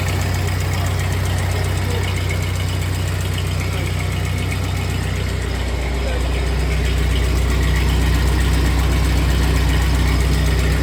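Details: 1948 Ford 8N tractor after a full engine rebuild, idling in neutral after a choke start on a new carburetor needing work: steady, regular low putter at about four beats a second, settling slightly lower halfway through. Normal idle; a leak still to fix.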